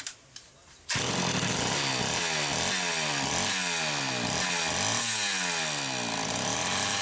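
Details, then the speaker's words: Homelite Super XL chainsaw, first test run after full teardown and cooling cleanup, lots of assembly oil inside: a sharp pull, then it fires and blips up and down with a crisp two-stroke buzz; runs and revs cleanly. "Let's give her a test run. I'm cautiously optimistic that this is going to go very, very well."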